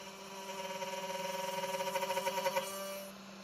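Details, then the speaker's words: Genmitsu 3030 PROVer Max desktop CNC, stock air-cooled 300W spindle milling aluminium in mini vise with progressive step-down: high steady whine with rapid pulsing chatter building through the cut; underpowered spindle struggling and vibrating, reaching its limit. "the sound is a bit high and you can hear some vibrations as this kind of air cooling 300 WT spindle is not that powerful but let's see how it works"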